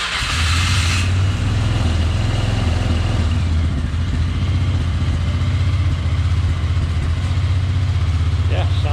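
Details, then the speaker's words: 1999 Polaris Sportsman 500 ATV, cold, after fuel pump replacement and reassembly: steady, even single-cylinder idle with firm low thump, no knocks or misses; cold-blooded but starts and runs good; normal idle. "now she cold blooded but starts and runs good"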